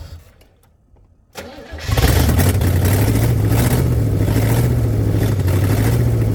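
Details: 1985 Pontiac Firebird Trans Am first start after sitting, on fresh premium fuel: long crank, then a loud, blatty, uneven, unmuffled rumble near half throttle, wanting to die off the gas; exhaust manifold leak found.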